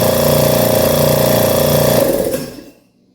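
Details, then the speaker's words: Schulz direct-drive air compressor bought used, after tightening the loose internal bolt that caused a loud metallic noise: even pumping thump about four times a second with no metallic knock, then winds down; running normally. "Vamos fazer um teste como é que ele está sem barulho metálico pessoal só o barulho da compressão mesmo"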